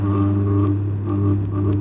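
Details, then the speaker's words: Three-phase induction motor above 3 HP given phase and neutral directly via parallel testing board during spark-method terminal identification of winding ends. Strong steady low electrical hum with buzz and occasional crackles; normal winding hum. "यह हमारा parallel testing board है इसमें मैंने इसको लगाया इसमें आपको vibration सुनाई दे रही होगी ठीक है"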